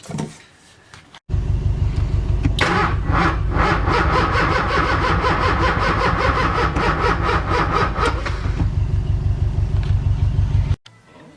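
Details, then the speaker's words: LS-swapped Nissan 240SX, after installing a replacement ECU: starter spins engine at steady even rate for about nine seconds with no fire; crank-no-start later traced to a mispinned wire in the Wiring Specialties harness. "So after having installed that ECU, I was still getting the same crank over issues."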